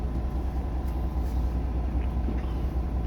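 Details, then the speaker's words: Volvo truck, new 400 hp Smart Eco diesel, idling at about 600 rpm, with lowering idle to about 500 rpm for long parked idling planned; deep steady even rumble, no knocks; normal idle. "ตอนนี้รอบอยู่ที่ประมาณ600รอบต่อนาทีนะครับอืประมาณนี้นะครับประมาณ600รอบ600หน่อยๆครับประมาณ600นะครับ"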